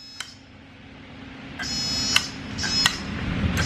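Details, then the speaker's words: 34-year-old boat diesel with glow plugs, no impeller fitted, on a larger battery: sharp isolated clicks, about five in four seconds, with no cranking rumble; the starter solenoid clicks but the engine does not crank. "So you start. That sounds like the solenoid clicking."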